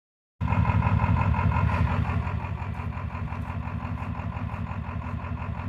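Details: Ford 7.3 PowerStroke diesel at idle: an uneven, lumpy beat of roughly three stumbling pulses a second. It also blows blue smoke when floored. Misfire at idle.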